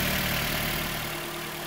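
Steady, even idle with a smooth low hum and no knocks or misses; the engine runs cleanly and sounds healthy.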